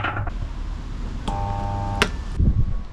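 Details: Concrete mixer motor that had lost power mixing: on pressing start it clicks and hums steadily without starting, a failed start capacitor inside the motor compartment.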